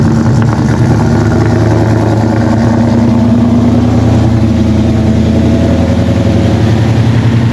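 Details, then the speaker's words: Coyote-swapped Foxbody with 10R80 transmission at idle: steady V8 idle with a faint constant chirpy whir on top, belt noise suspected. "just making that slight noise and it's just it's this belt over here"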